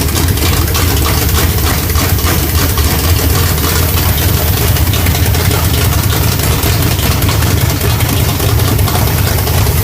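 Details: Chevrolet small-block 350 V8 with a Thumper hydraulic roller camshaft: deep, uneven, choppy lopey idle from the aggressive cam.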